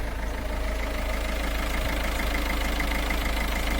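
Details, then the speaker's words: Citroen C4 Grand Picasso 1.6 HDi turbo diesel, at the exhaust: steady, even diesel clatter at constant idle with no misses or odd knocks; normal healthy diesel idle. "you are. That is how noisy my diesel engine is."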